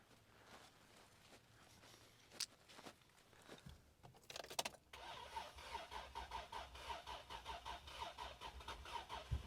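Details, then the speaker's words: 2003 Isuzu Rodeo, crank-no-start in the rain after owner tried alternative fuel: steady rhythmic cranking with faint whine, about three pulses a second, never catches; it almost starts on brake cleaner, so fuel delivery suspected, injector pulse to be checked. "oh my word okay it's definitely a no start"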